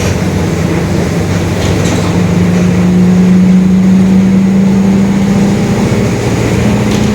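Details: 2021 Marcopolo Torino S bus on Mercedes-Benz OF-1721 Bluetec 5 chassis, urban service: constant low growl under road and engine noise, rising and holding with road speed while cruising; the differential is growling.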